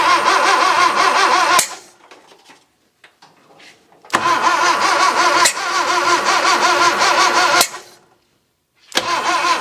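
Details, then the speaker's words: 1966 Datsun 520 truck abandoned for 40 years, first start attempt: three bursts of steady starter cranking at about three turns a second with pauses and no firing; it turns over and the starter works, but no start. "No fire yet. Well, let's give the starter a break for a moment and see what we've learned. First and foremost, it turns over."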